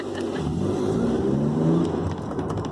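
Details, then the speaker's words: BMW Z3 roadster on a test drive after new rear brake pads were fitted to fix a rear-end rattle: steady engine drone with road and wind noise, no rattling over bumps; rear brakes now quiet. "driving around I'm hearing the motor I'm hearing the birds I'm hearing the wind I am NOT hearing that rattle"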